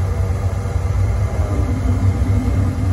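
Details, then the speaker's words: Carrier three-phase package unit after replacing burnt contactor that had one leg stuck closed, making system run constantly: deep, steady compressor and fan hum, no chatter or buzzing; everything running normally. "it's a good thing we changed it. The new contactor's in. Everything is running."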